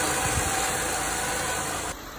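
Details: 2012 Honda Ridgeline Sport idling after owner-replaced alternator, a few days later with no dying: steady, even idle with a smooth low hum and no knocks or squeals before the sound drops off near the end; healthy.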